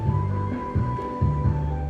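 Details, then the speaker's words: Old MKC transistor power amplifier after repair (had no speaker output; zeners and parts replaced): clean music with bass and steady tone, no crackle, dropouts or hum; now plays normally. "ตอนนี้กันสำเร็จให้พลอยแล้วเสียงดังปกติ"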